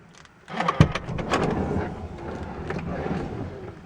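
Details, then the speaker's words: 2005 Toyota Sienna driver-side power sliding door: short clattering buzz from door mechanism before it moves, opens if pulled by hand; owner suspects a non-working motor; power sliding door noise before opening. "So the first thing I noticed was when I go to this door, it makes a noise before it opens."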